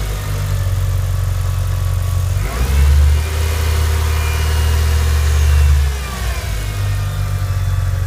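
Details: Mitsubishi Evo IX cold start: steady deep idle with no ticking or tapping, which appears only when hot, then a couple of smooth revs rising and settling; healthy cold engine.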